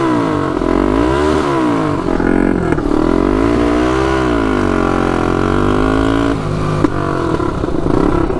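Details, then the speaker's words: 1999 Honda 400EX turbocharged quad, first test ride with oil and fuel pumps: revs rise then sag and stumble unevenly as it pulls; power cuts out right when boost hits under load, owner suspects it is flooding out. "it just uh it wants to go but right when it hits that boost it uh cuts out"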